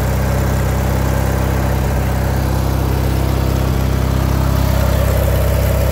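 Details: LX176 lawn tractor, now driving without belt slipping, deck not yet finished: steady low, even engine drone at constant speed, no knocking, misfire or belt squeal; runs cleanly.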